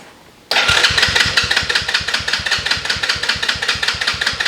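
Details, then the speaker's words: Small kids' ATV, new starter switch fitted: fast steady starter churning with even chuffs, two to three a second, never catching; cranks but won't start, owner suspects the battery that had died, now on charger. "so it's definitely working now and now he's Gotta Get It Started hasn't been starting in a while kind of had a problem and just haven't got around to fixing it"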